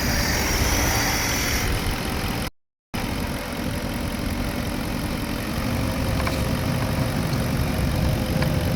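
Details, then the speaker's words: Porsche Cayenne Turbo 955 after coolant leak repairs and rerouted vacuum lines, with no leaks or warning lights: smooth, even idle with a steady low hum and no knocks, ticks or surging; runs healthy. "anyway uh now it's running like nice and smooth"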